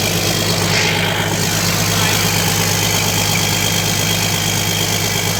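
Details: Komatsu PC200-8 excavator after engine overhaul: smooth steady diesel idle with even low thrum, no knocking or misfire; sounds healthy.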